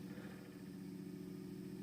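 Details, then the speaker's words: Industrial AC fan on a variac as voltage is raised and it speeds up: quiet, even low hum and buzz, with extra vibration noise because cables underneath lift it off level ground. Very quiet when lifted off the floor. "but of course this is because these wires that are on the ground they have lifted the fan a little bit from the ground so it's not exactly quite even surface so that is also amplifying the vibrations"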